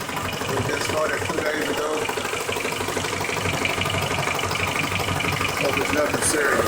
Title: Ticking sound somewhere around the oil pan.